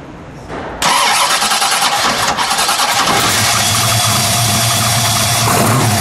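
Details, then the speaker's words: 1968 Ford Mustang Shelby GT350 restomod V8, 550 hp on dyno, polished stainless exhaust, heard from rear at a car show: starter catches fast, fires cleanly into steady even V8 rumble, no knocks or misses; healthy start. "let me see it start I'll come to the back we'll just let it idle for a second and then we'll give it you know we'll give it one Rev"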